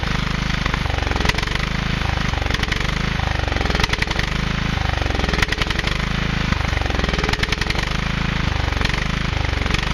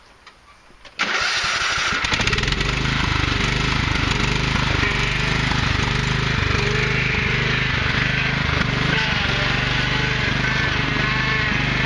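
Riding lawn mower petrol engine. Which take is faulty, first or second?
first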